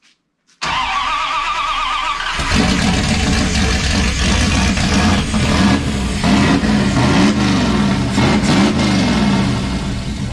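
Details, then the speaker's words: '51 Dodge dually with 5.9 Magnum 360, eBay GT45 turbo, Holley Terminator X EFI, first fire after reducing fuel: short crank, then steady, even V8 rumble with no misses through custom headers and exhaust; running healthy. "here oh that sounds awesome oh definitely blew all the dust off the ceiling that's some satisfaction that is some satisfaction it's alive oh that sounds good let's get sounds so gnarly with the turbo"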